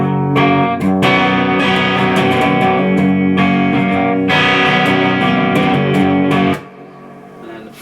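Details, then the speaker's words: VOX AC30 reissue valve amp after no-output repair with new valves: crunchy overdriven guitar chords come through full and even, no crackle, hum or dropouts; amp working properly. "it sounds all right that and a third of what quite crunchy which is nice"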